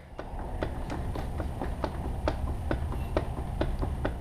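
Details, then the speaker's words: Kawasaki KLR 650 with the rear wheel rocked by hand: irregular dull clunks about twice a second from free play, and the whole back end moves; the owner suspects bad rear hub bearings behind a swaying problem, though everything seems tight. "the whole tire moves the whole back end moves it's just it's just crazy"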